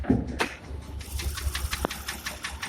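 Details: Porsche Macan idling with check-engine light on: sharp regular knock over an uneven, stumbling misfire rumble, attributed to scored cylinder walls, requiring a major engine rebuild.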